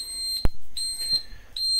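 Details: Blue Bird TC-2000 bus, first startup attempt after a few days with a no-start issue. A steady high-pitched buzzer sounds in three bursts in a quiet cab; low air pressure warning.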